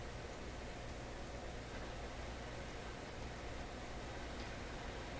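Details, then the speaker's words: Canadian Admiral YS-3610 suitcase record player under restoration, powered on with the motor spinning: a steady, even hiss with no music. The amp works apart from the hiss, and the cartridge appears dead, possibly worn out, wrong or with loose wires. "No. The amp's working aside from the hiss."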